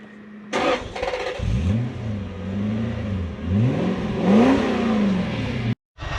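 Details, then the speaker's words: Toyota Soarer/Lexus SC400 V8 that sat a few days and began stalling: idle wanders, dipping and surging as if about to stall; owner suspects sticky idle speed control stepper motor bearings, air leak possible. "however in this case my thoughts are that the stepper motor bearings are getting a bit sticky and they were actually on my list of hey we should just do them anyway"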